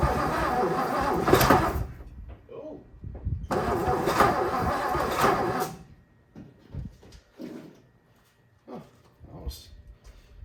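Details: 1957 Lincoln Premiere, tried with choke: two long stretches of labored cranking that stop without ever catching. Crank, no start; owner suspects weak battery, weak starter, a stuck, probably bent valve and a severely sticky distributor.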